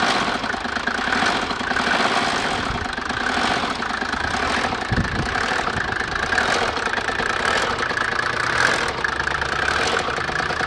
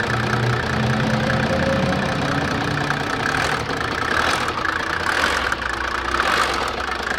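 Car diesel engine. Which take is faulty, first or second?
first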